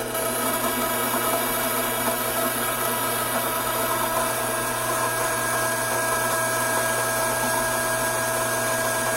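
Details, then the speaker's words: Hydraulic gear pump with inlet restricted: steady whine with harsh gritty hiss as vapour cavities implode on discharge side; cavitation. "Take note of the change in sound that the pump is now making. This agitated sound is created by those now vapor-filled cavities making their way to the discharge side of the pump, forced to implode on their way out."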